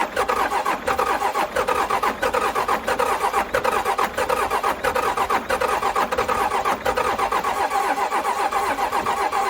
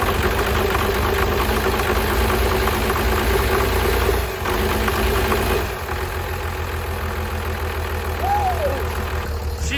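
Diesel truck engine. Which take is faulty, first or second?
first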